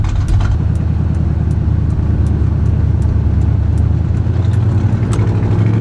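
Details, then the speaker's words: Truck engine after swapping in an oversized camshaft following a lifter failure, running mechanical advance only with no vacuum advance: deep, steady low rumble with even, choppy cam lope at idle, no knocks or ticks; healthy idle. "My god, does it sound good at idle, though."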